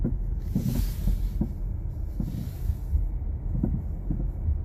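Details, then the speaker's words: 2018 Jeep Compass, 95,000 miles, road test after hitting pothole: irregular light clunks and rattles from front end over bumps and steering inputs under low road rumble; cause worn/jarred sway bar link, replaced. Sway bar link rattle. "I can't get it to do it, but you can hear it. Definitely some kind of rattle noise."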